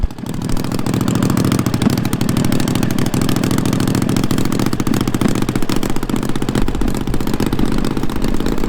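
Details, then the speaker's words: Racing lawn mower engine with carburetor sync nearly bang on: choppy, uneven firing under a steady drone, hesitating on one cylinder from the start; bogging, possibly a spark issue on that cylinder, not confirmed. "so now we just gotta figure out why it's bogging then yeah okay so our sink is pretty much bang on now and it sounds like it hesitated off of one cylinder right off the get-go"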